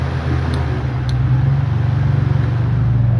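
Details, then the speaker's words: Stand fan after repair, at lowest speed (number one); before the fix it hummed and knocked without spinning: smooth, steady low hum with no rubbing or rattle, so the fan runs normally. "So wala ng ingay. Hindi na siya lumalaga'."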